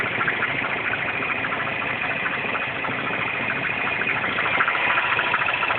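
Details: R56 Mini Cooper S at cold morning-start idle after a timing chain tension change: a quick, uneven rattling tick about three per second over the engine hum. Cold-start engine rattle, cause unclear.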